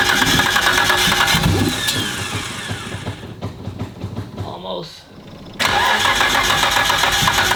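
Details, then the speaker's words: First start of a freshly built 1500 hp Nissan Skyline R32 GT-R engine, oil being filled while running: loud busy idle with crisp lumpy exhaust beat, briefly dips then returns strong; normal healthy start and idle. "It has been too long since I've heard this thing, man. God. Let's go. Sounds angry, boys. Sounds angry. God, sounds so good."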